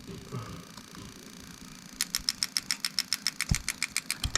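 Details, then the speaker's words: Lexus 1UZ-FE non-VVT-i LS400 92–94 harness for IS200 on bench test with simulated low RPM signal: crisp, even injector ticking about three and a half per second, each injector tested individually; healthy. "Okay, so we got it on quite a low RPM, so you can hear them clicking distinctly."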